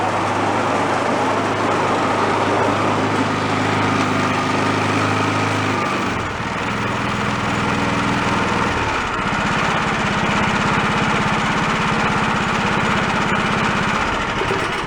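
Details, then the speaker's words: Two-stage snowblower's small single-cylinder engine after carburetor debris cleaned, fired on choke, changes speed then holds steady, even beat; some front rattle normal, belts and tension fine. Normal running after repair. "there we go everything seems good they're always kind of rattling in the front is kind of normal it's just the nature of them"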